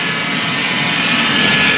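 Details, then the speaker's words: Ariston 8 kg tumble dryer running: a loud, steady rough whirring with a harsh hiss from the motor/fan side, suspected worn motor bearing or possibly the belt tensioner. "noise when it comes from here from the engine side so the fan makes a bad bad noise It seems to be spinning it won't be a bearing noise I'm going to switch it off but it will be a bearing noise"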